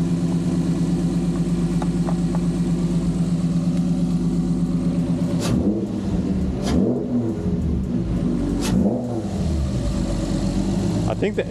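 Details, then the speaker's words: G35 (VQ) on ramps after a new throttle body and GT-R injectors, with no fault codes. Several sharp revs that drop back cleanly, with loud intake roar and no knocks or misses; normal revving. "you should hear the [ __ ] intake right now all right we should be good the intake sounds crazy"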